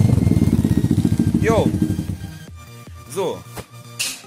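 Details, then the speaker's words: 50cc two-stroke pitbike after carburetor cleaning and a replaced fuel line, idle turned down as low as it holds without stalling. Quick, even, stable idle pulse with no stumbling; normal idle. "Darf nicht zu hoch sein. Ja, das Ganze läuft doch jetzt super."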